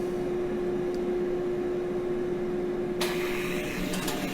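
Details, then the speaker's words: Gas forge start-up with the air and gas controls opened and a fire-eye flame sensor fitted: a steady mid-pitched igniter buzz for about three seconds, then a rushing hiss as the gas lights. An earlier attempt blew out from too much air; this is a normal igniter start. "to listen for the the buzzing of the uh the igniter."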